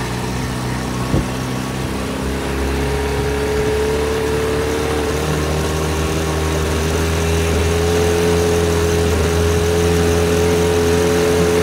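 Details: 1980 Sea King by Chrysler 15 hp two-stroke outboard, slow acceleration: top cylinder misfires and stumbles at quarter throttle, recovers at mid to full throttle; condensers replaced, swapping coils identified a failing ignition coil.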